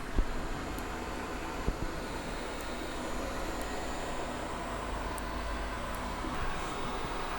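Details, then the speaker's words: Mingda Rock 3 FDM 3D printer with TMC2208 silent stepper drivers, mic brought close while printing: only a soft, steady fan whoosh, no stepper whine or ticking; very quiet, normal operation. "So yeah, very quiet, no stepper sound at all. Some fan noise, and it's not very loud either, so that's definitely a plus for this thing."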